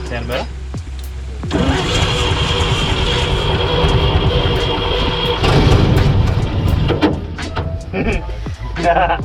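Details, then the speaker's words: 1944 Chevy Blitz WW2 army truck, sitting about 30 years: with choke on, spark and fuel pump confirmed good, the starter churns, then the engine catches, runs rough a few seconds and dies. The crew blames poor fuel quality. "fuel quality is definitely the issue everything else is good now our pump's working in our carbine it was firing probably"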